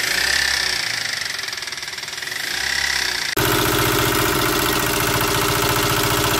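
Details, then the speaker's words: Toyota Avanza after driving through floodwater: rough, uneven knock under the idle about four beats a second; a damaged connecting rod, engine needs an overhaul. "Avanza ini ada terdengar suara kasar ya di mesinnya teman-teman Jadi ceritanya mobil ini habis terobos banjir katanya"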